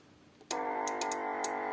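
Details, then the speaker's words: Vintage Radione WSH3 tube radio during repair, signal generator switched off: steady tone with overtones starts abruptly and holds with no signal present; set returns to self-oscillating state from positive feedback, possibly needing tuning. "you see it comes back into self oscillating State"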